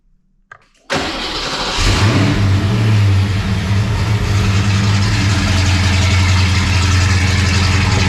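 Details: Foxbody Mustang project car V8 with a freshly installed drivetrain, off-road H-pipe and O2 sensors, cranks briefly and catches, settling into a deep, even burble idle with no misses; burning residue off the exhaust manifolds, clutch fan not connected, timing not yet set.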